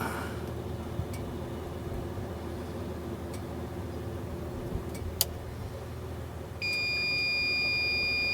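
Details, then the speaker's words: Van inverter with the engine off, running a Litespeed 72V variable-current charger set to about 1 amp: steady high-pitched warning tone. It is charging but complains it wants more power until the van is started. "it's charging though it's charging but it's complaining it wants more power so we need to turn the van on"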